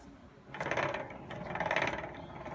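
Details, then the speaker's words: Btwin Hoprider 300 bicycle, about six years old: dry rasping ratchet clatter in bursts as rear wheel spins; freewheel not engaging, loose freewheel bearings and pitted hub cone and ball. "really nice bike but uh the back wheel is dead you can hear that noise it's uh the freewheel is not engaging bearings are i think pooched on that side as well"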